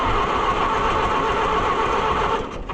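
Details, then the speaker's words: Oliver 550 tractor, long abandoned, with water-contaminated ethanol fuel, rust and a carburetor filled with bad gas: steady, even churn of the starter turning the engine over for a few seconds, never catching. Cranks but won't start; owner suspects the points, unconfirmed. "What are the chances that it's going to fire up and run? Probably very low. We might have to file on the points."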